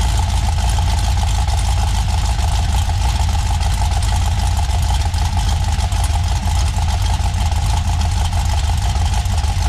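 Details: 6.0 LS V8 on a stripped-down factory truck harness, first run at fast idle: loud, constant, rapid metallic clatter from the passenger-side bank under a low rumble. The dipstick end was being struck by the crankshaft.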